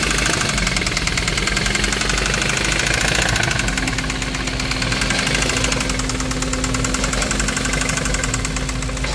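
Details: 2017 Hyundai Kona 1.6 T-GDI gasoline engine idles with a loud, rapid, sharp ticking clatter that sounds diesel-like; excessive engine noise, cause not identified.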